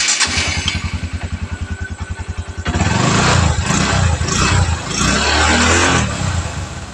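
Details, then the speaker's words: Verza 150 single-cylinder motorcycle after replacing the loose cam chain (kamrat) that caused its rough engine noise: fires into a steady, even idle, revs cleanly and settles with no rattle; engine smooth again. "OK các bạn, tiếng động cơ lại mượt mà , thế này là thay kamrat vì kamrat lỏng quá."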